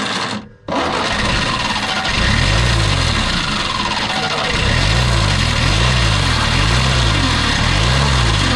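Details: 1957 Peugeot 403 U8 pickup, thought not run in 34 years: after a cranking dip the old engine fires and keeps running with a slightly lumpy, wavering beat; running again after long storage.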